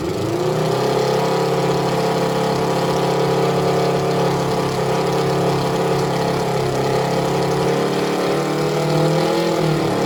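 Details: Suzuki ZL600 Eliminator during carburettor synchronisation, left two carbs far out of balance: steady idle with slightly lumpy, uneven beat; balancing banks expected to sort the idle.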